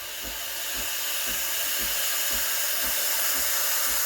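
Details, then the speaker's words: Breville Barista Express BES870 steam wand held at an angle near the milk surface to create a vortex for latte: steady high airy hiss with soft regular ticking pulses; air being injected properly, normal aeration. "And I'll listen to this sound. I'll try to create a hissing sound. That's how I know I'm injecting air for a latte."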